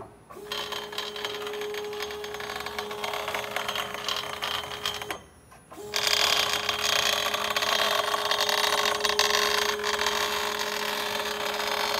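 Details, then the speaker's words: Zenbot CNC machine running its router: steady high motor whine with a harsh, gritty rattle on top, louder after restart; a bearing is suspected to be acting up but has not failed yet, and the machine still works. "yeah so we got a bearing acting up so it hasn't went out on as yet but it still works but there's obviously there's something going on"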